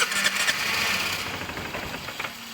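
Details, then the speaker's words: 2005 Vespa GT200, Keihin carburetor, started cold: engine catches and sputters briefly then dies out as it warms; the choke enrichment (cold-start) jet is clogged, and throttle blips only squirt fuel via the accelerator pump. "right now it's cold and it will kind of start and this is pretty typical of a scooter hasn't sat too long is it will want to start but it will die out once it um gets a little bit"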